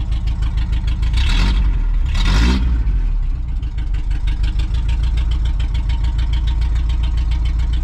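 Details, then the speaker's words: 1987 Toyota 4Runner after full engine rebuild, sat for quite a while: uneven lumpy low idle with throttle blips; ignition timing suspected one distributor tooth off, distributor restabbed one tooth clockwise. "Maybe I'm one tooth off. I'm gonna try stabbing this distributor one more tooth off."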